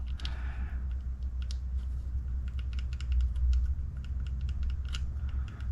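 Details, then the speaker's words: HB Racing E819RS electric buggy differential being shimmed: the gear turned by hand gives quick light clicks of the teeth meshing, which feels good except for one tight spot in the diff mesh. "You hear that click, click, click, click, click? That's the mesh you're feeling. Feels good except that one spot."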